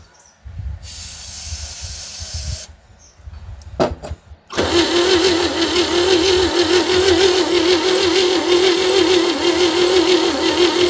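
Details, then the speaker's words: 1960 Chevy C10 with a 235 engine that sat 40 years, fitted with old plug wires and a battery, with good spark confirmed. Steady cranking at about three turns a second, slow, never catches. Crank-no-start; carburetor gunk suspected and a battery charger is planned. "Well, she ain't cranking very fast. I'm going to throw a battery charger"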